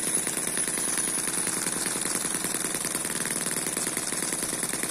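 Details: Eachine EM1 (same as M14) four-stroke opposed double-piston mini engine at steady low speed, not intended for high speed. Fast, light, even chatter like a sewing machine, with no stumbles. Smooth, almost vibration-free normal running.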